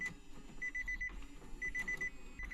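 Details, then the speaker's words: Damaged Nissan 370Z project at power-up. The CD player/head unit beeps erratically in sharp high bursts of four or five, pausing and restarting. "all right here we go guys we've got power and the CD player is going nuts right"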